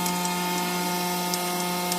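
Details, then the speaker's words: Customer-returned Grundfos SQ 3" submersible pump (SQ190/SQ200) in a test tank at 6.5 gpm, then 100 PSI (4.5 gpm); it deadheads at 120 PSI. Steady, even motor hum with no grinding or surging; normal running under load. "we're at 6 1 12 gallons per minute we're at 100 we're at 4 and 1/2 gallons per per"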